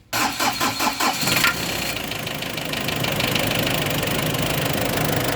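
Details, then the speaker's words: Ford Ranger after top overhaul, previously would not start: quick cranking, starts in one click after a leaf was removed, settling into a smooth steady idle with no misfire; normal start and idle. "Kaya pala umandar kanina dahil may dahon lang pala eh ayun one click All right All right na all right aircon natin ganda ng andar"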